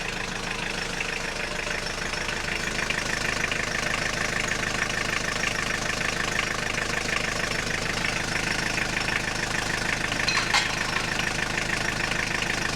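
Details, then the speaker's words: Long-sitting Audi 80 diesel, clutch master cylinder faulty, idling with the clutch pedal released: uneven metallic rattle about two per second over the clatter, cleared by pressing or pumping the pedal; clutch throwout/release bearing. "And, as we could also hear in this video, when I don't have the clutch pedal pressed down Then occasionally something is making one hell of a rattle"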